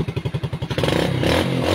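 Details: Engine keeps running after a wiring problem was found and taped, following an earlier starter repair, for an engine that died when the battery was removed; lumpy beat at first then revving cleanly and holding, no stalling, healthy.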